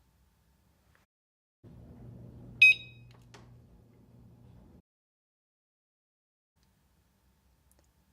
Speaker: After removing the battery tab, press and hold the gear button until you hear the unit beep and see the lights come